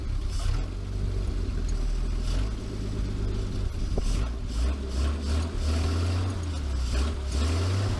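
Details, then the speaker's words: 1949 Chrysler Windsor sitting since the 1950s, with automatic choke, running on a 12-volt battery after a wire fix: deep low even rumble with soft lope, running steadily on its own; owner reckons it won't run without the choke. "how amazing is that huh it was one of the wires that went on there"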